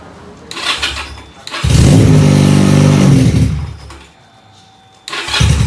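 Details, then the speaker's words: Benelli PE 250 FI before repair, fuel pump pressure checked good at 40 PSI: fires and settles into a fast, steady idle too high for standard, won't rev when throttled; cause later found to be a faulty MAP sensor. "Jadi seperti itu teman-teman ya, motor ini hidup cuman tidak mau digas ya. Jadi idle motor ini ngaco juga, terlalu tinggi ya."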